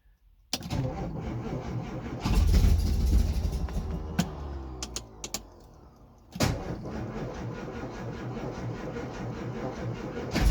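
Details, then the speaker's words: 1964 Austin Healey 3000 Mk 3 straight-six, cold start after weeks unused, starter freed with a crowbar, ignition switched off between attempts to stop the fuel pump overflowing: long slow cranking with brief catches that fade; flooding feared; hard cold start. "getting slightly concerned about flooding here now okay we nearly nearly run there the reason I'm I'm turning it off after each attempt is because that stops the fuel pump um and if you leave the fuel pump running it will overflow"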